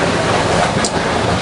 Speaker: That noise you can hear is the keel pin wearing on the keel bearing, where the front washer and the self-aligning filling has all but disappeared. And that sound is the keel pin grinding against the bearing.